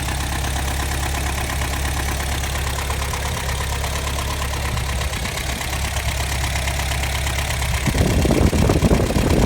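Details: 1984 Toyota 22RE four-cylinder with timing chain, tensioner and guides done by previous owner; steady tick-knock about twice a second at idle, louder as revs rise; source unidentified.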